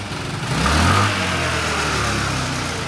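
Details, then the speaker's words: 1985 Honda Elite scooter, small carb, freshly revived after carb cleaning and idle screw adjustment: snaps up cleanly when blipped wide open then settles back smoothly; decent throttle response. "runs that's a decent response to wide open throttle on a small carb like that that's not bad"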